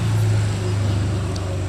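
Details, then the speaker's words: Polytron single-door refrigerator, VH30R40B 1/10 HP compressor running: steady low hum, no flow sounds; clamp meter reads 0.62 A versus 0.75 A rated, filter dryer not warm, return pipe not cold, freezer evaporator not cooling; refrigerant not circulating, suspected leak or blockage. "saya akan lakukan pengukuran arusnya menggunakan tang ampere menunjukkan di 0,62 AMP yang seharusnya 0,75 AMP filter dryer tidak ada terasa hangat pipa balik juga tidak ada terasa dingin"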